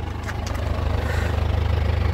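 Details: Isuzu Panther LS Turbo 2017 diesel, about 130,000 km, at idle: deep even throb with no miss or knock, underside dry of oil, exhaust smoke clean afterward; normal healthy idle.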